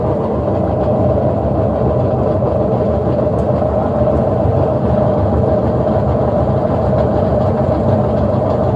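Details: General Electric washer in spin, with its faulty timer advanced by hand because it won't progress. A loud, steady rumbling roar runs through the whole spin and is very noisy. Maintenance is needed; the likely repair is bearings and seal plus a timer check.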